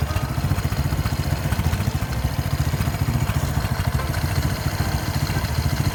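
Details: Honda Wave 125 S motorcycle. An uneven, tinny clatter rides over a fast idle thump, from the loose, unbraced muffler and fittings rattling.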